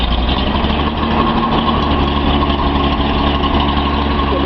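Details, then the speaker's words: Nissan 280Z L28 six just after a cold start, after swapping a bad fuel injector to cure a misfire: steady, even, smooth idle. "Sounds good to you? Sounds pretty smooth to me."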